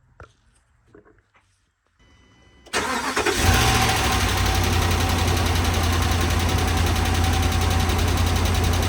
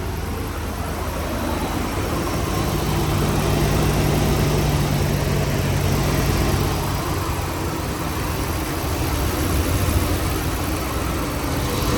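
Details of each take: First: 2013 RAM 1500 5.7 HEMI V8 after a previous owner's cam and lifter replacement: steady idle with a light tick about four a second from the passenger side; improperly installed pushrods and rocker shafts damaged them, fixed with replacements. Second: 2013 RAM 1500 5.7 HEMI V8 after cam and lifter rebuild, idling smooth steady low rumble with no ticking after replacing damaged pushrods and rocker arms from improper installation; fixed, running good.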